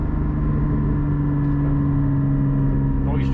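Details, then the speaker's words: Porsche GT4 cruising at light throttle: steady low droning tones whose character changes at a certain rpm; exhaust valves said to be open all the time; cause of the change unclear. "changed at a certain rpm i think he said the valves were closed no the valves are open all the time"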